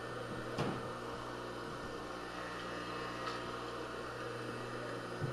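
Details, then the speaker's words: Craftsman table saw motor after rebuild, run for a while with new grease mixing with old in the bearings: even, steady low hum with only an odd faint tick from the mount; running smoothly. "it's possible we're still just the new grease and the old grease is getting to know each other in the bearings not ideal but not necessarily a deal breaker sounds like it's smoothed out already okay some of that rattle is just the mount"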